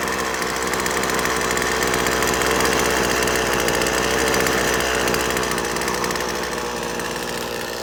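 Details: McCulloch T55 CLS line trimmer after tightening loose cylinder head bolts that had caused a no-start: buzzy small two-stroke runs steadily and climbs smoothly when revved, firing cleanly with no misses.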